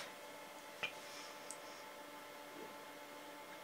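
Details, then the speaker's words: 1980s vintage hard drive under DOS: quiet hum with isolated sharp clicks a few seconds apart while loading; heads failing to seek, classic seek error from degraded platter surfaces. "you'll quickly see if you hear that noise that is a classic sign of a seek error"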